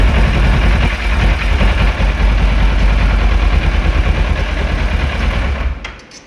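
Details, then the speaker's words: 2011 Kawasaki ER-6F (Ninja 650R) that won't start after sitting a month. Rough, uneven thumping at about two beats a second for five seconds, then an abrupt cut-out. Cleaning didn't fix the starter relay; there is a small loose connection, and moving it lets the bike start. "Relay ശരിയാക്കാൻ പറ്റിയില്ല clean ചെയ്തിട്ട് ready ആയില്ല ഒരു ചെറിയ loose connection ഉണ്ട്"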